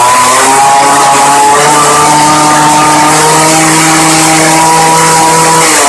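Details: Early-2000s Craftsman Bushwacker 358.795792 19-inch 25cc hedge trimmer after replacing broken fuel line and crumbling foam air filter, 40:1 fuel: high buzzy two-stroke whine holding steady pitch with small wavers, running cleanly and revving freely.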